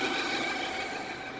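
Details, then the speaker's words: 2006 Suzuki Forenza, about 150,000 miles, later found to have two clogged catalytic converters and unable to rev past 2000 rpm, no check engine light: a steady thin high squeal rides over a quiet, smooth idle, source not yet found. Squeal at idle. "now there's no check engine lights on the dash not at all for some odd reason you think there would be a check engine light there that noise kind of a squeal"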